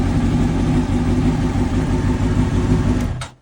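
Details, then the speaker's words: 2004 Honda CBR600RR whose fuel pump would not prime, fixed by using the original key with its immobilizer chip: pump primes and the engine starts straight away, running strong and steady with an even beat, then shuts off cleanly. "so now I actually able to as you can hear the prime and the bike start straight"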